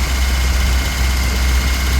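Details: Ford Cortina P100 pickup idling smoothly and steadily with an even beat, no hunting or misses, after 7 months unused; battery had dropped to 7 volts and was charged 4 days; a fuel hose leak was being checked. Normal idle.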